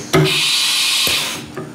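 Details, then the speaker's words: CNC machine tool changer: pressing tool release gives a sharp bang and air rush as the tool release piston slams the drawbar at full pressure instead of pre-charging first. "you can hear the tool release piston did not go down in contact the top of the draw bar it just went"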